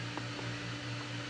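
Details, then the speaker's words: Adventuridge (Aldi) iceless electric cooler, dial turned to off: steady low hum with faint soft pulses as the fan keeps trying to start even though switched off; fan also stalls at medium setting, cause unknown. "I'll put it all the way down to off and you heard it click off now I don't know if that stops after a while I haven't tested for that but it just keeps doing that even even when it's turned"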